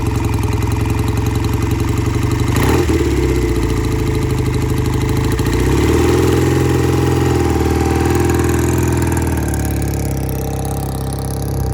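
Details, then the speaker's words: Vintage British motorcycle, sat for a couple of years, carburetors cleaned twice for clogged passages, in the shop on a ~70°F Phoenix day after a cold start: even idle of three to four pulses a second with a throttle blip; running well. "And it's running pretty good, sounds good in the shop."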